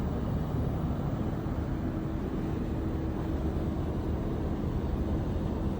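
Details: Heat pump running: loud constant low rumble with a faint steady hum; abnormal rumbling noise.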